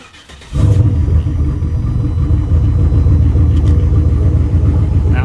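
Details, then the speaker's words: V8 with Holley Dominator EFI that had lost injector pulse on several cylinders, restarted after a key cycle: catches and settles into a steady, even idle with no stumbling; normal idle. "sounds like it's running normal [Music]"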